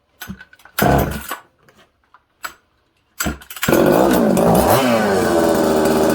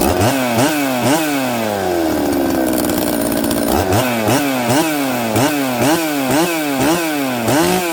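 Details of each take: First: Newly built 266 chainsaw, first start: the idle surges and sags unevenly and is hard to keep and tune. Slow return from revs suggests an air leak. Lean idle. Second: Newly built 266 chainsaw after sealing oil pump O-ring area with assembly silicone: crisp two-stroke snapping up through quick blips and dropping back to steady idle each time; normal idle and revving, air leak fixed.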